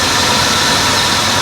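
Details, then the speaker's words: Buick LeSabre with a misfire, idling while each coil is touched in turn: dense, harsh idle turns choppy and stumbles when a good cylinder's coil is disturbed; one coil changes nothing, suspected bad coil or module underneath. "we're going to touch each one of these coils now the it starts running shittier on that"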